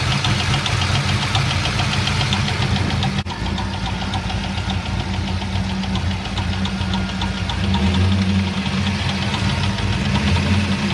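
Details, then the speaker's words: Car, engine ticking after the shifter broke, valve cover off: steady idle with fast light ticking, roughly two per second, from the valve train; a GM tech believes a valve lifter. Not confirmed. "now i did talk to a guy who's a gm tech and he said that he believes that it's going to be a valve lifter"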